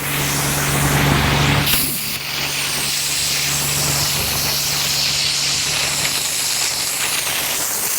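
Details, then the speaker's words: Homemade snowmaker with water at a little over 600 psi and compressed air hooked up: a loud, steady rush of air through the nucleator nozzle while ice crystals form. Normal nozzle operation. "all right now the nuclea nozzle is blowing you can see you know it turned white we got ice crystal forming"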